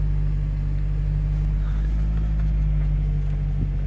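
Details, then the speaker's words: 2000 Toyota Celica GTS after a hack fix for an AC fault (compressor used to run seconds, then the light blinked): steady low idle hum with the compressor running smoothly, no knocking or squeal, and very cold air; normal AC operation. "is very cold something out of there"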